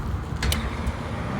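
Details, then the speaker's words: HVAC exhaust fan running under belt load right after replacing its worn-out motor. Steady, even low rumble with no knocking, squeal or grinding; sounds as it should. "Oh, look at that. That is how an exhaust fan is supposed to sound."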